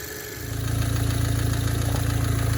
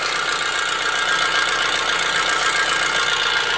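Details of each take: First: Tuned Audi B8 direct-injection engine starting and idling: even idle with quick light ticking over low rumble, normal injector noise, no knock or lifter issue. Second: Audi engine at idle with sharp, fairly regular metallic knocking and a bright, tinny edge; an example of engine knocking.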